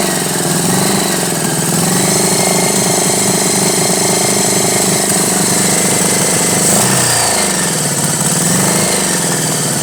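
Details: 1983 Honda Goldwing Aspencade project bike, engine running for the first time after revival, started on full choke; steady loud drone with uneven, lumpy beat and wandering pitch, running rough, needs carb tuning (suspected, not confirmed).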